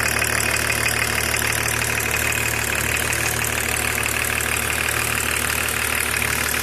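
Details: BMW E36 325td diesel: steady idle beat with regular tapping running through it; abnormal engine noise, cause unknown.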